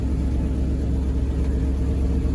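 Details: 1963 International Loadstar 1800 truck at its first start in 20+ years runs with a loud, steady, even low rumble and no rod knock, though the oil pressure gauge shows nothing; it is building air pressure and the brakes sound like they're working.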